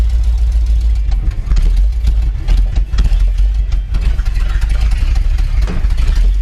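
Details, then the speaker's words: 1979 Ford F350 one-ton V8 running after about 15 years parked in a field, with the carburetor rebuilt, oil pressure, brakes and power steering working. Deep, steady V8 rumble at idle with no misses or knocks; runs smoothly enough. "So, it's running now. It's a good first step. Got it uh got it back going."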